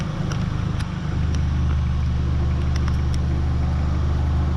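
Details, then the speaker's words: 1994 Honda Accord, 256,000 miles, restarted after reassembly following surging high idle repair: steady, even low idle with no hunting or surging, nothing knocking. Normal healthy idle. "There you go, guys. We started up once again. Sounds great. Sounds great."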